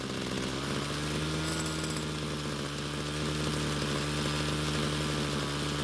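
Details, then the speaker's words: Homelite string trimmer two-stroke that wouldn't start; after stalling when warm from lean low-speed fuel, L screw turned out about a quarter turn; steady high-pitched buzz holding even speed without stumbling or dying, running properly. "so after making a few adjustments to the L screw and keeping the engine from stalling and then lowering the idle speed to keep the trimmer head from constantly spinning we then made our adjustments to the H screw"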